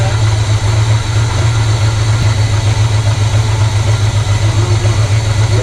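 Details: 1970 Chevy C30 carbureted V8 with rebuilt Rochester Quadrajet on its original fuel system, after sealing a vacuum leak, settles into a steady, even idle with deep low rumble and no misses: normal idle.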